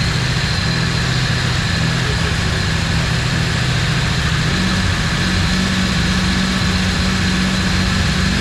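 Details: Cammed turbo Ecotec engine running again after being rebuilt, assembly lube smell, camera shaking from GoPro: steady low drone with mild hum and even firing, no ticking or knocking; smooth healthy idle.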